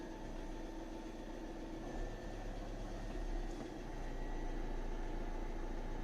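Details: 2014 Ford Transit Custom 2.2 diesel idling after its alternator voltage regulator was replaced. Smooth, even idle with a steady low rumble and no knocks or hunting. Charging voltage climbs to about 14–15 V, showing the fix worked.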